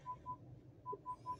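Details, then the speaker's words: Toyota Innova Zenix stationary in park, not reversing: radar/parking sensor sounds short high beeps in pairs and triples about five per second; fix is unchecking Radar under Settings > Accessories. "ini waktu saat jalan pun dia bunyi ya Jadi tidak hanya waktu parkir ya pada saat jalan lurus juga apalagi diam gini ya berisik banget ya"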